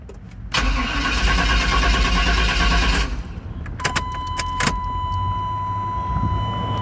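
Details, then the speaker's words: 1994 Suburban LS swap with bored intake manifold and throttle body, third idle air control valve fitted. Engine catches and holds a fast idle that never drops. Still idling way high; owner suspects large vacuum leaks. "Nope. Still idling way high. That's three different idler air control valves. It's not making a bit of difference."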